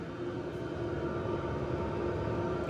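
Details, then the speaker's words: BougeRV portable diesel heater fully warmed up and putting out heat: steady whooshing blower with faint even hum; the fuel pump ticking heard at startup has completely gone. "I don't hear it at all. I can't even hear the fuel pump ticking. It's completely gone away."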